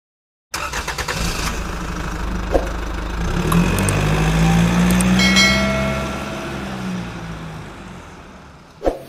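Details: Suzuki Katana/Carry 1000 with stuttering under acceleration: cranks, catches, then slightly uneven idle with wavering revs; play in the distributor causes irregular points (platinum) gaps and poor ignition, fixed by repairing the distributor.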